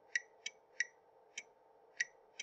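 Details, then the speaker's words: Automotive relay energized by manual grounding: six crisp, sharp clicks in about two and a half seconds as the magnetic field pulls in and the switch releases, normal relay click, though a click alone does not prove the relay is good. "hear that click so that's what's going on is you hearing that magnetic field build and the switch is collapsing"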